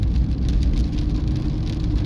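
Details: Chery Tiggo 2 Pro at 24,000 km, driving in rain after repair of a knock over rail crossings (likely stabilizer link): only tyre hum and spray at road speed, no clunks over bumps; suspension quiet.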